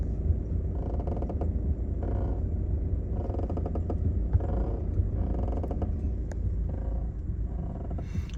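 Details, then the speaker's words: 2014 Seat Leon 1.6 TDI at low diesel idle: rhythmic creaky squeaks about once a second from the left front when turning the steering wheel; front squeak fixed without replacing any parts. "Bir aracımız var 1.6 TDI 2014 model direksiyonu çevirdiğimizde arabanın şu sol ön taraftan bir gıcırtı sesi geliyor"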